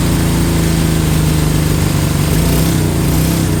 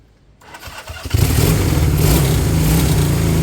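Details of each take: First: Honda CB200 twin, fuel on and float bowls full: steady fast even idle for ten seconds then abruptly cuts out; stalls after idling, overfueling suspected but cause unclear. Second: Honda CB200 twin after cleaning fuel tap, low fuel flow suspected cause of intermittent running: catches after a few cranks, settles into a fairly steady even idle with no misfire, perhaps set slightly low; running properly now.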